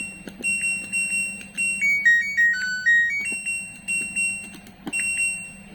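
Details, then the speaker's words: LG Smart Inverter front-load washing machine control module, repaired after a short (kWh meter tripped when plugged in); 5 V and 12 V (11.91 V stable) reach display; pressing power plays a clear, steady startup melody—module back to normal. "Nah, dengan pemasangan gacun tersebut untuk modul mesin cuci ini sudah normal kembali. Untuk tombol power on off sudah bisa."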